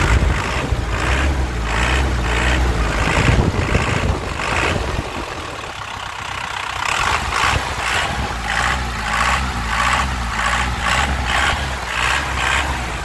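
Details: 2001 Isuzu Panther LS manual diesel idling, then revved: a steady clatter rises smoothly and settles back evenly without stumbling, so the engine is judged healthy with good pull.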